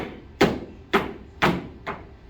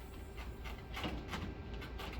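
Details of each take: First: Treadmill after reseating the anchors that hold the step saddle down: dull thuds from stepping on the deck with no squeak or creak, the deck now solid and quiet. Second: Treadmill, noise when stepping on deck while not running: faint repeated scuffing squeaks with each bounce, about three a second, traced to loose mounting anchors on the step saddle.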